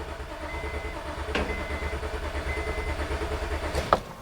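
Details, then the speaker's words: 2005 Honda Odyssey V6 with shaking, power loss and misfire codes, cranking during relative compression test: quick even starter rhythm, every compression pulse alike, waveform peaks equal; no mechanical problem, normal cranking. "okay the engine sounds good we have a nice consistent CAD as we're cranking the engine"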